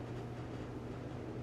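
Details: LG dryer on a preventive maintenance check, manual dry with the door open while the rear heating element is measured, about 177–200 degrees: low, even drum and blower rumble, no scraping, thumping or squeal; normal.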